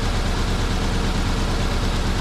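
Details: Car engine with a misfire, one cylinder not firing and combustion incomplete, running rough; ignition coil, plug cables and spark plugs to be checked and replaced: low idle with steady uneven lope, beat stumbling regularly as one cylinder drops out.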